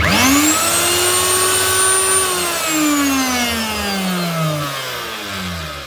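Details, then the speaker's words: Virutex FC116U self-feeding door morticer, router motor reported very noisy: it whines up, runs harsh and rough with felt vibration, then coasts down; worn motor bearings, later replaced. "Ooh, sounds nasty. You can feel the vibrations out of it. Right, that's bearings."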